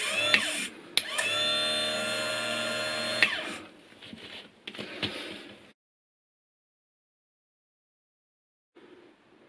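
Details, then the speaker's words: Bench demo of a motorcycle starter system: with the 12 V battery, ignition switch, solenoid and start button wired up, pressing the start button makes the engine-mounted starter motor spin freely with a clean, steady whine, no grinding or stutter; normal starter spin. "i'm just going to press on the button for the starter button and you can see it rotating in here"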